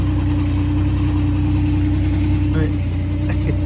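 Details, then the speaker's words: Ford C4 automatic after a torque converter swap, heard from under the car at idle: a steady low hum holding one pitch, with no knocking or grinding. It is a new sound from the transmission area, not bad, just different than before; cause unconfirmed. "it's like kind of like a a huming sound it does not sound bad uh it just sounds different than what it normally did"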